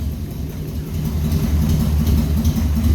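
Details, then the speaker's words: Hand-built dune buggy with 1200cc motorcycle engine, carbs cleaned but still needing fine-tuning, just started on its own: loud low burbling, uneven lumpy pulses about three to four per second; rough, untuned running. "We still got some work to do, but at least it starts on its own now, so we'll keep at it. Try to get it running smooth on its own."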